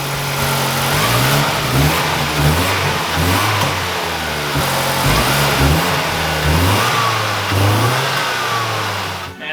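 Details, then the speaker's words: SVT Ford four-cylinder after fixing spark plug wires, one of which wasn't touching its plug and caused a misfire: quick smooth even revs with no stumble; now running cleanly on all four cylinders. "crazy man when you have four spark plugs it runs like it's got four cylinders what a concept"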